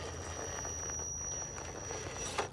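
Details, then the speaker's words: Holmes BRXL brushed ESC on an Optimus 3 rock crawler with Proline Predator compound tires and CI 4.25 Lil Nova foams, crawling rocks with no front overdrive: faint steady high whine over motor rumble; normal ESC noise. "now the noise you're hearing is from the homes BRX LC it just kind of makes a noise"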